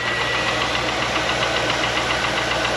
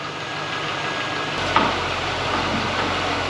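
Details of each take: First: 2001 Chevrolet Corvette C5 LS1, abandoned and not run in years, cold start after pulley greasing: fast light metallic rattle over idle; piston slap, expected to go away once warm. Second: 2001 C5 Corvette, LS1 V8, first start after sitting for years: after a clunk it settles into a steady, even idle. Slight piston slap at first goes away as the engine warms, leaving a healthy warm-up idle.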